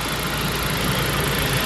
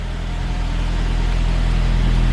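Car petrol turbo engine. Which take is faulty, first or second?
second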